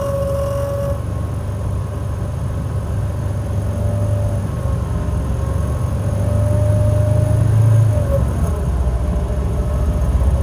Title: ac making noise